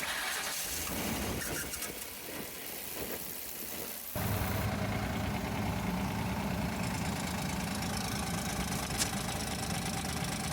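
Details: Van engine with a clanking noise from the top, restarted after a repair attempt: catches after about four seconds, then idles with a light regular tick about three a second; noise suspected under the valve cover, not the spark plugs.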